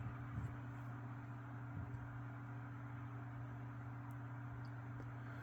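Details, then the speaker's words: Lasko 3150A 12-inch oscillating table fan, circa 1980-81, on low: soft steady hum with faint airy rush, no rattles or ticking, quiet and healthy; worn fiber washers noted. "that you would expect from these Lasco oscillators from this time period very quiet low throwing out a pretty good Breeze"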